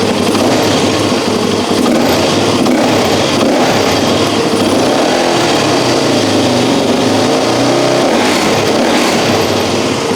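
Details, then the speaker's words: Suzuki DRZ400E single-cylinder, just fitted with a Lectron Billetron Pro carb and still warming up with a slightly slow idle, revs up and down sharply; throttle is much snappier and more responsive, with no stumble. "I can tell already just by the sound of that feel this throttle and how quick it is this thing is going to have more power that throttle is way more Snappy Instant Power"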